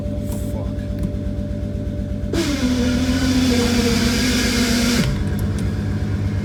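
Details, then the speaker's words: VW Passat B5 VR6 (longitudinal) with aftermarket flywheel sitting too low: after finishing third gear during street tuning and shifting to neutral, harsh grinding rush with falling whine; car creeps forward even with clutch fully pressed, first disc barely on input shaft, both discs damaged. "when it's grinding the car is going forward even if I pressed up clutch all the way down the car start going forward"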